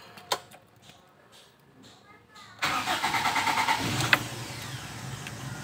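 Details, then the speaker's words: 1997 Toyota Kijang carbureted, after tune-up and carbon cleaning for heavy pull and stumbling in 3rd gear: starts on the first turn and settles into a steady, smoother, even idle with no misses. "langsung hidup di airbling di 6 jadi lebih halus"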